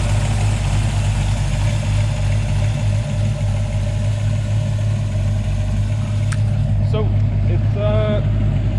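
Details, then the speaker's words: 1984 Mustang GT350 302 carbureted V8, cold, after installing a catch can and rerouting the PCV; started right away, deep steady burble with an even beat and no knocks, misses or ticks, normal cold idle. "is still cold, but I mean, it started up right away. It's running nicely. Sounds good, sounds healthy, and it looks good."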